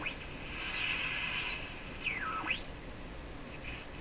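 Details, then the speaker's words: Sparton Model 5049 radio with IF stages peaked, after paralleling a capacitor: faint whistle sweeping up and down with the dial over hiss; oscillation squeal unchanged by the capacitor, cause unconfirmed. "Okay, you can hear the oscillation kick right in. Didn't do a thing. No significant change whatsoever from that."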